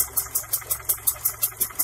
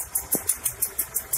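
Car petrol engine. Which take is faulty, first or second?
first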